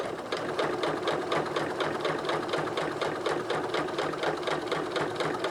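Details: Singer 9970 computerized sewing machine (circa mid-2000s), size 12 universal needle, sewing 32 layers of thin cotton: steady, even stitching rhythm with a light whir, pace constant through thick layers with no labouring; runs healthy.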